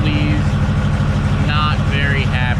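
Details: Ford F450 V8 idling with a low rumble and an uneven, stumbling beat instead of a smooth pulse. It runs rough on rainy days. The owner suspects compression loss and plans a scan.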